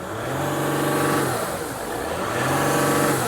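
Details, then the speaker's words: Mercedes GL with the 3.0L OM642 diesel, intermittent crank-no-start and power loss, codes P0299 underboost, P056E and P0101. Two quick revs, the drone rising and falling with an airy whoosh on each rise: a boost leak. "we definitely have a boost leak."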